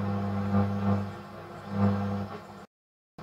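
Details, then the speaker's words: Mid-1950s Bush BS35 mains radio, before recapping: low steady mains hum with only a faint, wavering trace of a station, weak reception on the AM band. "I'm still getting something there, although not very much."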